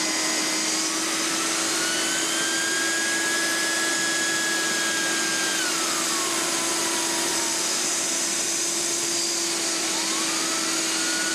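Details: Hoover Steam Vac Deluxe after repair of vacuum-driven brush and pump motors, partially clogged brush-motor intake screen cleared: steady high-pitched motor whine with constant airflow rush, even throughout; cleaner running normally.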